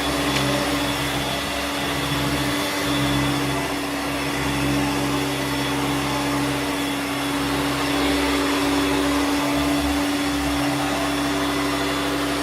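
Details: Hoover Turbomaster U5094 upright vacuum after refurbishment of both seized motor bearings (fan-case one had spun on the armature shaft), brush roll off: smooth, constant motor whine at steady pitch, no rumble, rattle or scraping; healthy.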